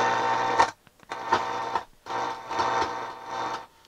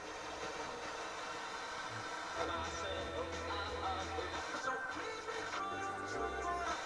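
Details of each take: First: Sansui G-3500 receiver on the bench for service, tuner with no antenna: radio hiss crackles and cuts out in uneven bursts as a control turns, from very dirty potentiometers. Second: Sansui G-3500 receiver on service, no antenna connected: radio station plays music cleanly on the FM tuner in stereo, no hiss, static or dropouts; tuner very sensitive, though the pots are scratchy.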